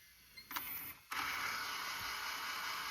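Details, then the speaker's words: JVC GR-SXM330 Super VHS-C camcorder (fix for clicking/E03 error): a couple of mechanism clicks, then smooth steady high whir rewinding, dropping to lower speed near tape end, no repeated clicking; normal rewind. "And you can hear how it goes to the lower speed. And that's the way it should work."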